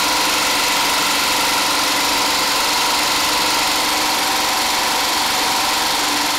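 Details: DIY 12V DC small engine-alternator generator, alternator about 80 A in summer and 100+ A in winter: loud, steady, even engine note at constant speed, no misses, knocks or hunting, under charging load; normal running.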